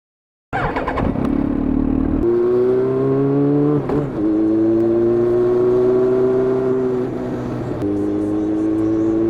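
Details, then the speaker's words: 2004 Yamaha XJR1300 (RP03J) after repair of a poor-revving, uneven-running engine: smooth inline-four drone climbing through the gears with clean shifts and no misfire; a slight flutter remains on downshift. "back to life. Complete. Still slightly on downshift There is a fluttering sound, but The carb setting is when you get into it. I hear it can be a bit of a muddle. Well, that's acceptable."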